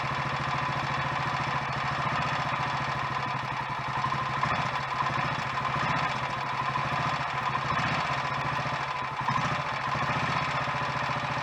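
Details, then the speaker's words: Royal Enfield Electra X single-cylinder, first cold start after rebuild with new conrod, big end and piston: even thump with light metallic clatter at idle, quieter than before; remaining noise suspected from timing gear backlash, not big end or piston. "well i guess you're gonna have to take my word for it but it sounds better than it did before i stripped it and put the new big end in"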